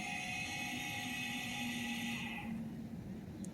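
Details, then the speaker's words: 1992 Mercedes 600SEL with electrical faults, engine off: a thin, steady electric whine from a pump keeps running after shutdown, then cuts out; cause unclear, with a blowing fuse and a misbehaving antenna also present. "just shut down, wait for a second. It keeps back, it just keeps running."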